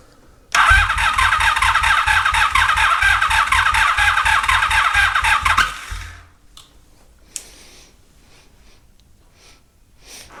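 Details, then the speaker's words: 1983 Honda Magna V45 cranks evenly at three or four pulses a second without firing, on a low battery with intermittent voltages; owner suspects an electrical gremlin. "smelling warm we going just give it a break so I have uh an electrical Gremlin"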